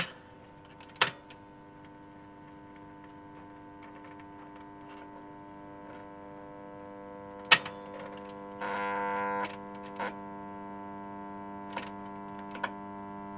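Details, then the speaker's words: Sound Belle valve tape recorder at switch-on: steady low mains hum with a buzzy edge and a few clicks; smoothing capacitors suspected ("at a guess"). "well I think we know what the problem is there don't we Al together now smoothing capacitors at a guess"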